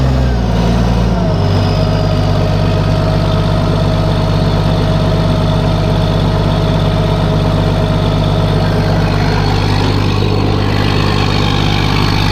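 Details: Case 1450B dozer with a freshly rebuilt diesel engine, just started after reassembly: steady, even low idle with a regular beat and no knocks or misses. Oil pressure is rising toward 40 psi on a mechanical gauge, and the idle is normal.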